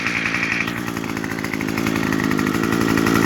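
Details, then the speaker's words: Two-stroke trimmer, factory-set too lean for emissions and bogging and stalling when the trigger was squeezed, after turning the H (high-speed) screw left about a quarter to half turn: a high, steady buzz at full throttle, running smooth with no bogging. "So all I had to do was turn the high speed to the left about a half a turn, quarter turn, something like that, and then it ran perfectly."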